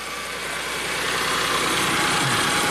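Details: 1994 Ford Probe V6 idling fast and steady with hiss, not dropping back down; the throttle is not closing onto its rusted stop screw and someone appears to have adjusted something, exact cause not yet confirmed.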